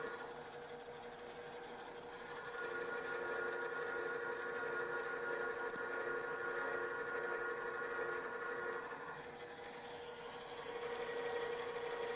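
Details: Drill press with transmission engaged, cutting: steady, even spindle hum with a clean cutting note and no chatter; drilling smoothly.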